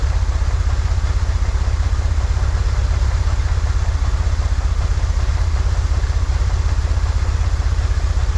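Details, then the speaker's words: 1963 Corvair flat-six after vacuum leak fixed, new PCV valve, fuel mixture adjusted: even low-pitched rumble, smooth steady pulse, no stumbles, slightly fast; "that's the sweet spot," idle still a little high. Normal idle. "yep that's the sweet spot we found it h yeah all right idle's still a little high though let's bring it back down"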